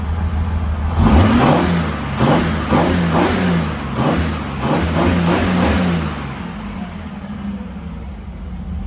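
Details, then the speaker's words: Holden grey motor at first start after rebuild, temporary short tailpipe: engine revs up and down repeatedly with smooth even pulses, no knocks or rattles; sounds good. "push that auto back of me sounds good yeah all right"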